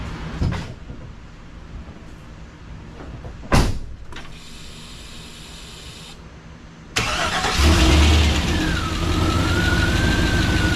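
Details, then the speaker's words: Freshly rebuilt 6.0 LS LQ4 V8 with a Summit stage 1 truck cam, in a 1986 Suburban C20, first cold start: cranks, catches, rough puffing idle from an exhaust leak; valve train sounds good. "Aside from the exhaust leak, it sounds good. I'll let it get up to temperature and Valve train sounds good."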